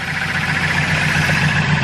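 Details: Turbo K24 Integra with Skunk2 MegaPower muffler idling after exhaust leak repair: smooth steady idle, low even drone, no ticking or puffing from manifold; exhaust sealed, normal idle.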